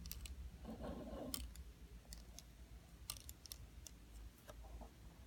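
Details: DJI Phantom 4 gimbal: light uneven ticks a few times a second each time the camera tilts downward; clicking on downward travel, cause unknown.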